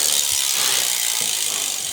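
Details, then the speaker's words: Trek hardtail MTB, about five or six years old and never serviced, 1x drivetrain: steady, fast metallic chatter and scraping as the cranks turn because the rear derailleur high limit (H) screw is backed out quite a lot. "H is this one here. I'm just going to screw that in until that noise goes away."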